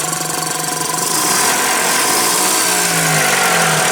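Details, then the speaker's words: Nissan forklift with K21 engine that cranked with no start, codes E-27/E-28 (crankshaft position concern), started after the codes were erased, with alternator and water pump disconnected: catches and settles into a steady idle with even firing and a slight pitch rise, no misses. Normal idle. "what we know is going to start now so that should be a fix for this truck"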